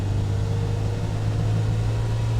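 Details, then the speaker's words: 1995 Land Rover Defender 110 300Tdi diesel, test drive through the gears (second about 35 mph, third about 50 mph): steady, even low diesel drone pulls smoothly with no knocks, misses or whine; normal running under load. "Yeah, very smooth vehicle. Runs as it should. This is what a typical 300 TDI Defender 110 should drive like."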